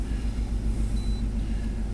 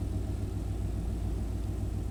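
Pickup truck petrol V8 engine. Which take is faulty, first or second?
first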